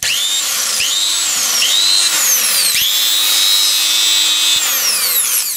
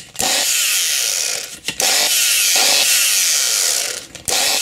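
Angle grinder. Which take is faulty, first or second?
second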